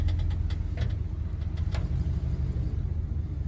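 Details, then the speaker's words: 1979 Chevy C20 pickup, parked since 2005 (about 19 years), on a cold morning, moving slowly in low gear around the yard with no brakes: even, steady rumble with no misses or knocks; runs well, clutch feels good. "seem to run good though clutch feels good just no break"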